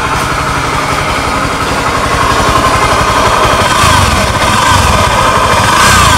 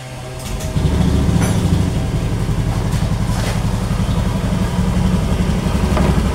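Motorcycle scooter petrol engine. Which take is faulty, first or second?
first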